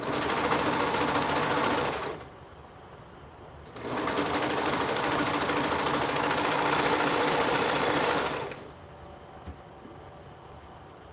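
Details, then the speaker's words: Sewing machine oiled with Dritz oil, running: two fast, even runs of stitching at about three or four strokes a second with a loose rattling edge; something is rattling inside, cause unknown. "can you guys hear that like weird noise that it's making it's like something's rattling in here and i don't know what it is"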